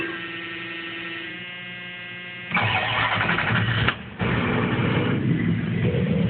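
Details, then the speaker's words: About 30-year-old all-stock Chrysler-product truck with catalytic converter, water pump its only engine issue: short crank, catches and settles into a smooth, even idle with no ticking or knocking, fans louder than engine; normal start and idle. "I mean as you can see that there's you can hear this truck doesn't make any noise this truck is just we're going to go to the exhaust here that's nothing that's nothing I don't hear much"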